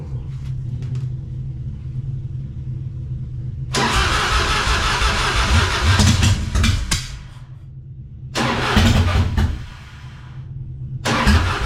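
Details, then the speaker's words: 1999 Harley-Davidson Fatboy V-twin on a jump box, first start attempt after the gas tanks were cleaned and reinstalled; owner wonders if the carburetor needs work. Low rumble, then ragged cranking bursts that stop and restart without settling into idle. "Decided I didn't want to wait. Put the jump box on it to see if she'll crank over and fire up here."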